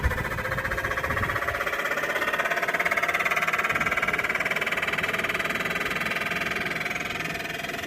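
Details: Voltas inverter air conditioner, just switched on; fast even rattling buzz over a steady mid-pitched hum, constant throughout; abnormal running noise.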